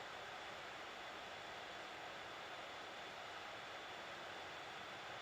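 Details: Hot air rework station at about 400, medium airflow, heating the WiFi chip of a Nintendo Switch stuck at the boot logo from a distance: even, steady airy hiss with no pulsing or pitch change. The station is running.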